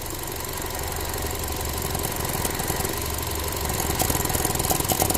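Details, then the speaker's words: Ford Transit Connect that dies randomly, engine cold and still warming up, at idle: fast sputtering tick about three a second, growing louder; the weak purge valve stays hung open when it should be off and needs replacement. "you hear it it's spurting cu the valve is weak it's no good it needs to be replaced that's one way how you identify a purge valve needs to be replaced"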